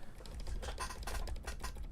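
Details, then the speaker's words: Ducky One 2 Mini keyboard with silent switches after relubing: quick bursts of light keystrokes with a faint sharp tick on each press, still ticking on the right-hand side. "So there is still weird ticking going on. Yeah know. So, yeah, the right hand side is still ticking."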